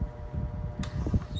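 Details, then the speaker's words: Mid-to-late-1980s Lasko/Sears 12-inch desk fan before cleaning and repair: a low steady motor hum with irregular soft rattly thumps that come and go, worse at higher speeds. Intermittent rattle; owner suspects bearings needing oil or the motor struggling. "I don't know if that's bearing noise or the motor struggling to turn the blade but you hear it it's that rattling you'll hear it on the higher speeds"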